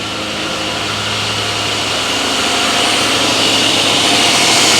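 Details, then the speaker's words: Rover P6 V8 with newly fitted alternator, revving: engine note rises with a faint high whine on top, new since the swap; charging 14 volts, running normally, ignition light still not on. "that's interesting the alternator makes a discernable sound this time it didn't do that before but we are getting 14 volts in the back though so we'll call that a win"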